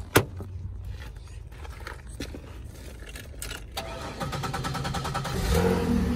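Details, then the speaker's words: 2016 Toyota Tundra at Copart auction: key rattle, engine catches quickly into smooth steady idle; healthy start. "cranks right up sounds good"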